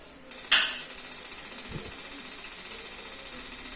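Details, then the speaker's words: Rinnai gas water heater with good new battery but gas supply disconnected to simulate empty gas: fast, sharp, high ticking several per second continues with no flame catching, then stops; water temperature stays at 31 °C; igniter clicking with no gas, gas must be replaced. "Ya, dia bunyi terus. Setelah sekian lama dia akan mati, ya. Ini mati dan apinya tetap tidak hidup."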